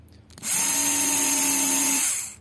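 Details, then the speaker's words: Motorcycle starter motor bench-tested on a battery after repair of intermittent stop-start operation: whirs up instantly, holds a steady high-pitched hum, cuts off cleanly; it now works properly. "Finally हमारी जो motor है पूरा काम कर रहा है proper work कर रहा है दोस्तो"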